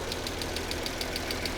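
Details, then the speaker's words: Copart Mercedes, possibly misfiring on cylinders 4 to 6, hood open: sharp, even ticking about eight times a second over a shaky, rough idle. The owner suspects a clogged catalytic converter on one exhaust side; unconfirmed. "okay doesn't sound bad a little bitty tick and she's a little shaky maybe because four five and six aren't really talking to each other very well"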